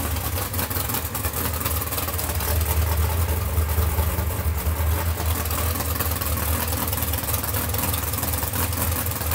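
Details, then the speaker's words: 632ci big-block Chevrolet V8 in a 2016 RPM Cheyenne jet boat, after a water-in-oil leak was fixed with JB Weld: deep, steady, even exhaust rumble at fast idle, no misses, knocks or ticks, though the alternator was smoking; normal running. "boat sounds good motor sounds healthy"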